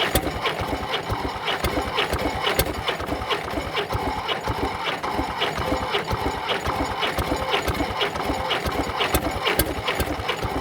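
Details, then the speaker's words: Previously seized Fordson Major tractor wreck from far west NSW turned over on a temporary crank start; ragged clatter of cranking without catching, no start, cause unknown; owner hopes rings free up with heat. "there's my uh temporary crank start just to try and get it turning over when it was seized and we'll see here we go"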